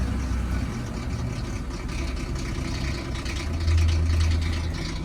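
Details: 2002 Ford Explorer Sport Trac, 4.0 L, high miles, two-wheel drive, cold morning jump start: light metallic chatter over a low steady idle, easing slightly with throttle; timing chain rattle, worsening as it warms.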